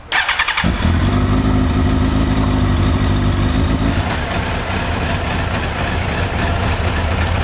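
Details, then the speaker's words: Suzuki GSX-R1000 K1, 10,900 miles, cold start on a 28-degree day: catches and settles into a low, slightly uneven idle with a deep steady thrum; idle set a bit low, cold-start lifts it slightly and it runs better. "Ticker was a little bit low. You pick it up a little bit, and then the cold start would come up a little bit."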